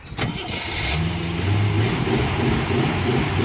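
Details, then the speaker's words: Rover P6 V8 with an intermittent starter delay; the owner suspects a loose connection at the starter, and a battery terminal had popped off earlier. A sharp click, a brief pause, then cranking and the V8 catches: delayed starter engagement, cause not confirmed. "Delayed start there that time. Hear that? Delayed start."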